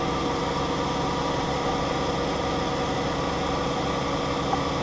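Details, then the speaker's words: 2012 Dodge Grand Caravan 3.6L idling on fuel pump relay bypass installed for intermittently failing TIPM relay: smooth, steady idle hum with no misses, knocks or surges; normal idle, everything sounds good. "looks good. Everything sounds good."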